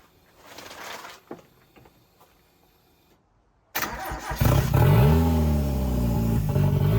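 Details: CA18DET-swapped JDM Mazda Miata, first start-up, filmed near the turbo: after a pause it fires and catches, then revs surge and sag unevenly, unable to settle into a steady idle; cam adjustment planned next; rough idle.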